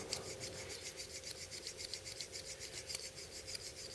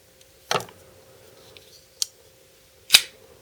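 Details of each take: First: BL06 folding knife, new out of the box, stiff due to detent issue: quick gritty dry scrapes about three or four a second during rapid open-close to speed wear-in before lubing and pivot tension check; dry stiff pivot. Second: BL06 folding knife after break-in, loosening the pivot, two small drops of oil and retightening: quick swish and clean snap as the blade locks, repeated without drag or grit; the stiffness may largely have been from the knife being assembled completely dry.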